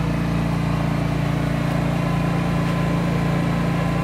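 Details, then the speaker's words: Standby generator running at full load with the lid closed, outdoors at about +5 °C: steady low, even purr with a smooth regular beat and no knocks or rattles. Healthy, normal running. "It's not very noisy. You can't even hear it in the house. It's only a purr here, and the generator's running full bore."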